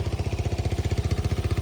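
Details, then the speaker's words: Old, worn Kawasaki Bayou ATV at a November cold start, idling high: small single cylinder thumping quickly and evenly, about fifteen pulses a second, no misfires. Normal idle. "Sounds like it runs decent though."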